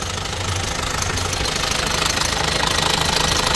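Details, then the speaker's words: Opel Astra J 1.6 diesel, manual, 136 hp, 98,000 km, cold morning start: fast metallic timing-chain rattle over the diesel idle clatter, before the chain was replaced. "araç sabah çalışırken soğuk çalışıyor ve zincir ses yapıyor onu göreceğiz"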